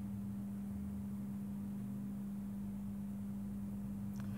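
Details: Mike Smith Metro lantern retrofitted from a CDO lamp to a GEC high-pressure sodium lamp, running outdoors as the sodium orange comes through during warm-up. Steady low electrical hum that never wavers: normal ballast hum.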